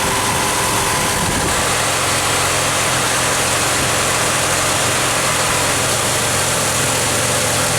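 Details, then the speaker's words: 2006 Nissan Pathfinder idling: loud steady rush of radiator fans on full as wiggling the coolant temperature sensor wiring gives a false hot reading, gauge stuck at H. Faulty sensor wiring or connection. "So just wiggling it, you can see the problem reoccurring. Fans are going nuts."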